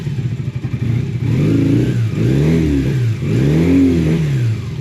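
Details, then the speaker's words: Honda motorcycle woken after 8 months parked, warming with the choke just dropped in: revs rise and sag in a few stumbling blips instead of a clean climb; hesitation on throttle, with petrol possibly a couple of years old suspected. "Oh dear. I don't know how old this petrol is to be honest. Could be a couple years old. So maybe maybe needs some fresh."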